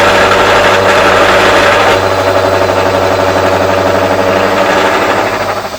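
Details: Motor driving a homemade ring roller: steady drone with a dull labouring pulse about four times a second that sags as load builds at slow speed; motor bogging down under load.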